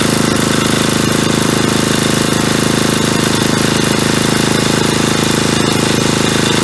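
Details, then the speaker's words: 1977 Agway 1500 W permanent-magnet generator, just given gas and 30-weight oil, its diaphragm pump drawing fuel from the tank: a fast, even single-cylinder putter at steady speed with no misses or knocks; it runs well. "spe yeah so it sounds like it runs pretty good there I just put gas in it there and that diaphragm seemed to pull it out of that tank so that's a good"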